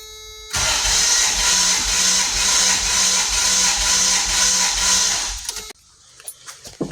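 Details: 1994 Toyota T100 compression test with all plugs out, on cylinder 6 at the rear: steady, even starter cranking at about four beats a second for about five seconds, no hitches. Reads well above 150 psi, normal.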